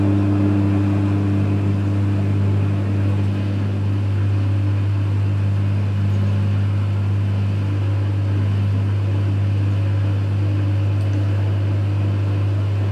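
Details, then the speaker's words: Electrolux EWF 16589 W washing machine on the 60 Cotton programme, possibly spinning after about 45 minutes: a steady low drone with a faint higher whine that fades midway and no clear drum rhythm. This is new since the machine was first used. Owner suspects dead bearings and a failing pump. "Sounds like it's spinning, or is it really? Sounds really weird. Oh. It didn't do that when I first, you know, started using this machine."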